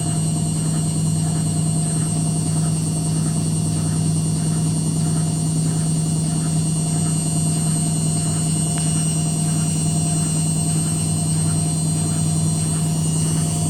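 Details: Indesit WITL 106 washing machine on spin: strong steady spin hum with a faint repeating knock about three times a second; the drum knocks during spin, cause unclear.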